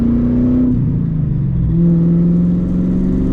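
Deep, loud V8 drone swelling and easing as the revs rise and fall, with no back boxes to quiet it down.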